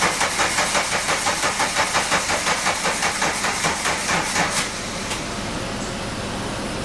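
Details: 1985 VW Cabrio off the road 17 years, after pulling the spark plugs and spraying brake cleaner into each hole: steady starter cranking, about three beats a second, never catches or fires; cranks but won't start.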